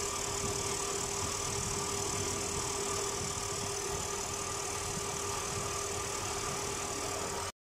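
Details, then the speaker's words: Pickup truck A/C compressor after WD-40 treatment: smooth idle with steady hum and faint constant tone, no squeal or chirp; normal compressor operation. "no se escucha nada nada el ruido"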